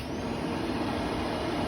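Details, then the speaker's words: Newly installed Inferno cab heater blower on a 2021 CFMoto 800EX: steady, even rush of air with no whine, rattle or ticking; heater fan blows well and sounds healthy, normal operation. "It does blow pretty good. Of course, the more you open, it's going to be less flow. So if you want more defroster, you would just shut these down. That's low though, and it's actually blowing pretty good."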